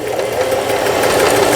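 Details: Juki HZL-series household sewing machine after repair of damaged feed regulation cam and bobbin case (it clacked sewing thick fabric), straight stitch test; fast even hum, steady stitching rhythm, no knocking or catching, sews smoothly.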